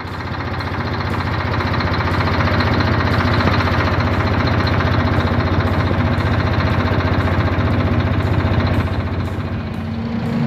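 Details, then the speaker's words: Volvo FM440 truck with D13 diesel, low power, engine fault codes for injectors 1, 2 and 3: heavy idle with a rough, pulsing beat about two and a half times a second, abnormal noise while running. Rough idle from injector misfire. "เครื่องยนต์ของรถบรรทุกวอลโว่คันนี้ใช้พลังงานต่ำจากนั้นเมื่อเครื่องยนต์สตาร์ท(Running)มีเสียงดังผิดปกติ"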